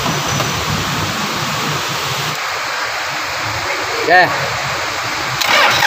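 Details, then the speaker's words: Petrol engine after repair of noisy front belt-area component with alternator removed for access: smooth even idle with steady hum, no squeal, chirp or rattle, noise gone even when revved; normal idle. "Wala na po yung ingay na kumalag singsing singsing na po ah papalabas na to matatapos na ngayon naala na yung ingay ng ahang kal magising na lalo na agag may n- rebolusyon po ngayon normal na normal na po Okay normal na"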